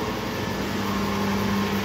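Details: Lathe motor after it was lowered to tighten the drive belts, which look slightly unequal in length: an even, steady hum with a smooth belt drive and no slap or squeal, much quieter than before; normal belt-drive running.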